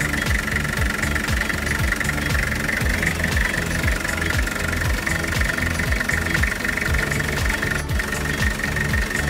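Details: Toyota Dyna with 5L diesel engine idling with a steady, even clatter at about two beats per second and no stray knock above it; a healthy idle.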